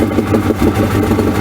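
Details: 1994 Suzuki 115 two-stroke outboard that used to stall and die, started with no choke after a cheap DIY fix: quick, even burble with steady firing pulses and no stumble or misfire. Starts unaided and runs cleanly.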